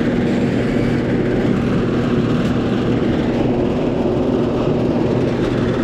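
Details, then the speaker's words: Older-style air conditioner outdoor unit not cooling, lights blinking as if struggling to start: loud condenser fan roar with low hum, compressor never runs; stuck compressor pulling locked rotor amps, capacitor then measured 50 microfarads. "nope it's not running that condenser fan motor is mighty loud yeah I just heard it pulling lock rotor amps I just heard it pulling lock rotor ramps"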